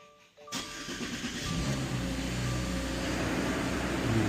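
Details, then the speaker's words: Car with earlier no-crank fault, starting after new battery fitted (12.53 V engine off); quick crank, catches at once and settles into steady, even idle with no stumble or misfire, normal start. "So let's go turn the engine on, and again, we should see something in the 14s with the alternator feeding some current to the new battery."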